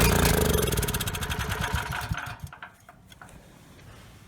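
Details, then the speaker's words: Ryobi RY905500 5500 W generator, choke on, a shot of starting fluid: it fires for about two seconds, then sputters and dies. Fuel starvation, main jet probably clogged; slow bowl draining also hints at the needle and seat or the fuel line. "good so it's just not getting fuel so the main jet probably is clogged"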